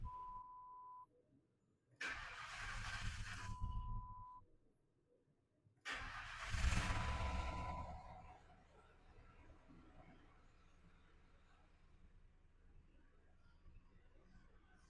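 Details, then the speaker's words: Customer's 2009 Ford Crown Victoria Police Interceptor (P71) after swapping in a used engine from a 2007 Lincoln Town Car with reportedly about 45,000 miles; two short cranking bursts, then it catches and settles into a quiet, steady, even idle. Normal start and idle. "all right man it sounds good too she's idling down heck yes yes"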